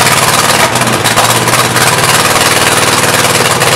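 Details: Mystery VW engine for a 1959 ragtop, after new plugs and wires (cylinder one had no spark), a cleaned carburetor and adjusted valves. A lumpy, stumbling idle with loud hash; rough idle; owner thinks it needs a new carburetor; battery dying.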